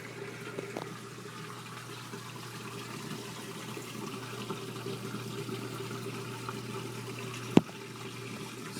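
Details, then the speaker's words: LG WT1101CW 5.0 cu ft HE top-load washer going into its rinse cycle after draining: a soft, steady hiss of water under a low hum. The washer is filling normally for rinse. "it's doing its rinse cycle still"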